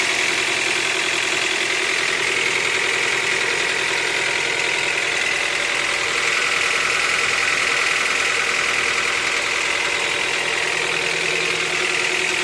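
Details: Honda Accord 8th generation at 63,000 mileage: sharp, rapid metallic tapping, about three knocks a second, over the idle; engine knock from inside the engine.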